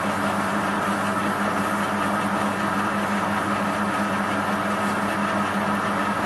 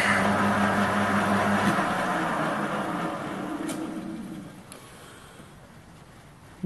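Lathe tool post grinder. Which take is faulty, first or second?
second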